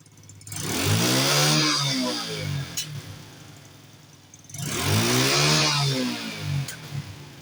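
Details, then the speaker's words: Carbureted four-stroke Honda Wave motorcycle with secondary air exhaust system: two sharp revs, and on each throttle release pops crack from the exhaust. Deceleration backfire, not engine-internal; fixed by plugging the air injection pipe. "สตาร์ทฟังเสียงเมื่อเวลาเราเร่งคันเร่งแล้วเรายกคันเร่งเนี่ยจะมีอาการยังไงต่อท่อไอเสียนะ"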